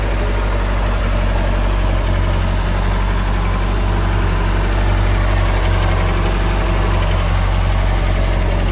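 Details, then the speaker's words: MerCruiser boat engine in a Caddie Stingray after tune-up, rocker arms and throttle/gear cable adjustment: steady, even low idle with a smooth rumble and no knocks, misses or rattles; normal idle. "got that plastic Shield hidden on the flywheel area but other than that she sounds good"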